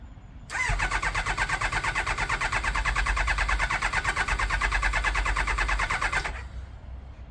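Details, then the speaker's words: Kawasaki ZX9R at 42,965 miles, first cold start after purchase: catches and runs about six seconds with an uneven, lumpy beat, then dies; won't hold idle and seems not firing on all four cylinders; carb clean and rebalance planned, plugs possible. "So I guess now we know what was meant by it cuts out. It's not idling, not for long anyway. And as you probably heard, it sounds like it's not firing on all four neither."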